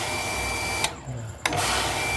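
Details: Hitachi household water pump after its plastic air-feed tube was replaced: the motor hums, cuts out about half a second, then restarts, continually cycling on and off. Suspected air in the system, needing bleeding at the check valve and refilling with water.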